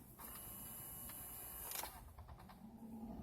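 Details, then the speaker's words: Chrysler Town and Country HVAC diagnosis with the fan off, key in accessory position: blend door actuator moving the driver side to the cold side gives a quiet, steady whir of about 1.5 seconds ending in soft clicks, operating normally. "now remember the fan is not on but the blenders they're still working"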